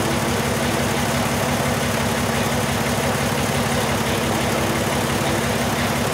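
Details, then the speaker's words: 2002 VW Jetta VR6 idling unevenly with dead-cylinder stumble after new injectors; cylinder 1 injector circuit code. Control wire pulses with 3.5 V bias voltage and 12 V supply, confirming the replacement number one injector is bad (open). "if we have this 12 volts here that means that Tony got a bad injector that's exactly what he has tone you can shut this off dude this injector is bad number one"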